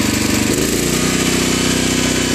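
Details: Generac 7000EXL generator converted to tri-fuel, on propane from a 20 lb cylinder, as vacuums and 1500 W heaters are switched back on: engine note drops and steadies, then holds an even hard-working buzz without hunting; picks up load fine.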